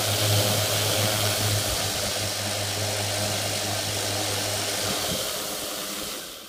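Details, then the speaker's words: 450 quadcopter with new carbon fibre propellers, front left motor suspected: small motor spun up from very low throttle with a gritty, frictional grinding hiss over its hum that fades as throttle drops; cause unclear. "Almost like a frictiony, grindy type sound. Try and bring throttle up a bit."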